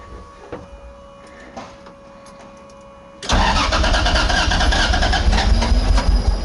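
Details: 2JZ-swapped Nissan 240SX, first start on a new harness with fuel not yet hooked up, on starting fluid through the throttle body, many vacuum ports open: three seconds of weak uneven cranking, then it catches and roars raggedly. Sputtering start.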